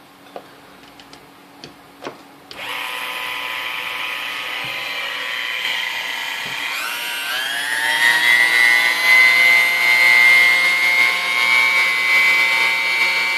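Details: New-in-box Dormeyer 4300 Silver Chef mixer that smoked when first plugged in, cord sounding crunchy, before service: thin high motor whine climbs to speed and holds with faint crunchy edge; no smoke seen.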